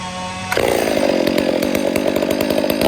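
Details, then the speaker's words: Freshly rebuilt, built 460 chainsaw being broken in and carb-tuned by ear: high wide-open scream broken by irregular rough burbles as the high-speed screw is set to sputter on top; normal rich four-stroking at full throttle. "I'm gonna try to get it to sputter on the top so I can kind of show you guys where I like to have the fuel."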